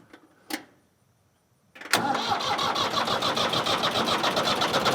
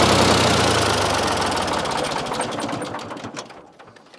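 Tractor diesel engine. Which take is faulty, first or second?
first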